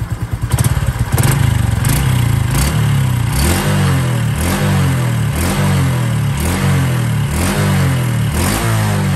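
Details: Honda Wave 110i 2021 motorcycle idling: steady low thump with a light regular tapping on each beat, a knocking engine noise from the top end, cause unclear, being fixed.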